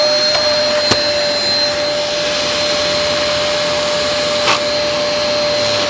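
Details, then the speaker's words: Dyson DC03 Absolute+ upright vacuum running with a brushroll part missing. It gives a steady high motor whine and even airflow rush with no knocking or scraping, and the brushroll still spins normally. "and even with the brushroll part missing it the brush wall still spins fine"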